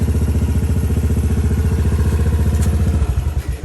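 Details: Honda Fourtrax 200 Type 2 ATV, a junkyard rescue, at idle: quick, even thumping of about fourteen beats a second, steady until switched off. Normal idle; a new steering bushing was just fitted.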